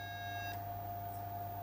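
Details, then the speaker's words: AIMS Power 1250 W inverter charger on a current-limited bench supply, chip heated with a heat gun to recreate failure: steady high beep over low electrical hum, then unit trips off, flickering and drawing heavy power; failing control board. "It shut down. Did you see that? Mm-hmm. You hear it? It's going nuts. It's drawing a ton of power. It's like flickering on and off."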